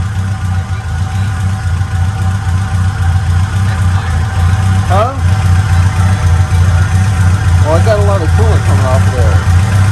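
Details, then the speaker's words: Acura Integra GSR B18C1 just rebuilt with Supertech head gasket and ARP head studs, first start after fixing a no-start: steady low idle, even firing, firm pulses, slight smoke, noticeably more compression; healthy. "that's just smoking a little bit but it's all right there's a lot more compression you can hear"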